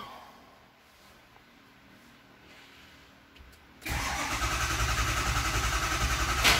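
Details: 2005 Ford Super Duty 6.0L Powerstroke diesel, 287,000 miles, after fixing O-ring leak in high-pressure oil system: quiet, brief crank, catches cleanly and settles into smooth even idle; no-start repaired.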